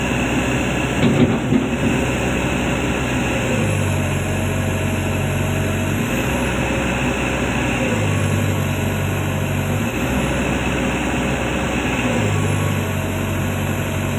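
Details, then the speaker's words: Komatsu PC200-10M0CE excavator diesel, about 3000 hours, CA2249/CA559 faults, arm raised under load: drone sags lower each time hydraulics load up, repeating every few seconds; rpm falls to 1400 as rail pressure drops to about 400-456 against 800 commanded. "chú ý khi dielif giảm thì vòng/phút giảm xuống 1400. RPM giảm xuống 1400 vì áp suất đường ray giảm ở 456 bạn,"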